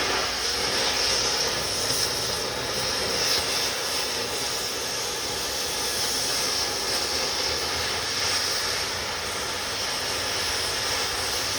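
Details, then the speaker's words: Oxy-acetylene cutting torch, acetylene set at about 8 psi, cutting on an S10 frame: a steady, even hissing roar with no sputter or popping. The torch is cutting normally. "When it's hot, you see it start melting, hit the button, it blows right through it."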